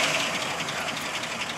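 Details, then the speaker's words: Pink Cadillac picked up after exhaust work, cold start: quiet, even idle with no exhaust blowing or ticking, only the engine heard running smoothly; normal idle. "look at that you just hear the motor and it's cold right I've never heard that before the you've never heard the motor right no I mean like I mean I've never heard it's quiet like usually heard"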